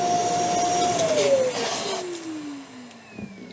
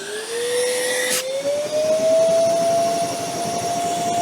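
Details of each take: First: Metabo ASR 36-18 BL 25 M SC cordless wet and dry vacuum at full power: steady high motor whine suddenly winds down as the electrode full-tank cutout stops the motor to protect it. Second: Metabo ASR 36-18 BL 25 M SC cordless wet/dry vacuum switched on at full power: clean whine climbing in pitch, then steady high note; normal operation.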